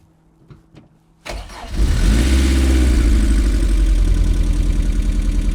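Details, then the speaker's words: MG started on second attempt after diagnosis and work: starter cranks briefly, then loud, lumpy, uneven idle like a tank; owner suspects misfire, possibly running on three cylinders, with smoke he hopes is oil residue from the work. "sounds like a panzer tank but [Music] it's running kind of [Music] now you'll know better than me does that sound normal is that rover might be a misfire i might be running on three cylinders here"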